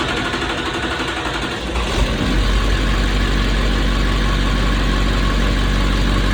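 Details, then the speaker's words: Duramax diesel swapped into a 1971 Chevy C10, first run with broken fuel injector return line tee and smoking: cranks briefly, catches around two seconds, steady even idle without knocks. "She is alive. Huh? Yeah, she sounds good."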